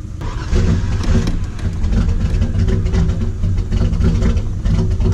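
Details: Cold start after sitting a week, exhaust previously messed up: starts first try, deep full exhaust rumble swelling with throttle blips; healthy.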